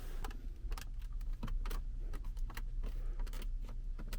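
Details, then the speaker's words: Kia Carnival KA4 interior trim panel pressed by hand gives sharp, uneven creaks and clicks about twice a second, a rattle found before the noise-removal work. "한번 눌러 올게요 으 으 으 으 거실 내는 기분나쁜 그런 소리가 올라오죠"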